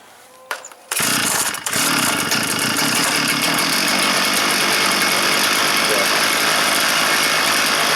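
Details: Stihl FS 400 brush cutter that would not start (spark present, plug dry, fuel not reaching the chamber), primed, cold-start position, fuel low in tank: catches at once with a quick pull and holds a steady high even buzz without stumbling; running healthy.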